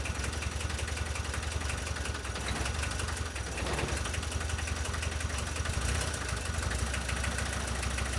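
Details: VW T3 diesel running again after many years, following cleaning and refitting of injection pump parts (lines, distributors, solenoid, throttle linkage); adjustments still needed, engine sometimes cuts out. Steady diesel idle with firm low rumble, no misses or stumbles: normal diesel idle.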